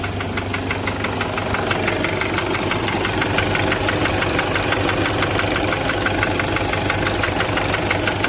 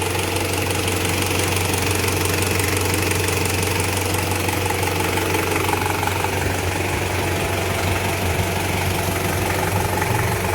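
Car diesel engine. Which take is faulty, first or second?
first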